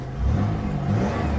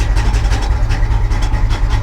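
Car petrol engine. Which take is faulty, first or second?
second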